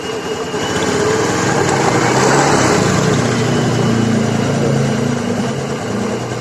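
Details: Honda Scoopy FI scooter revving after a stick of wood stuck at the rear wheel near the CVT was removed: steady even drone, no rubbing or knocking; the strange noise is gone, running normally.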